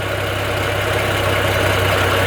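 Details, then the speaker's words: 2.8 L VR6 Golf mk2, not MOT'd since 2011, after new spark plugs and HT leads: idles with a slightly uneven, lumpy beat, better but still not right. Lingering misfire, later solved by replacing a piece of fuel hose. "it sounds better sounds better but still not right"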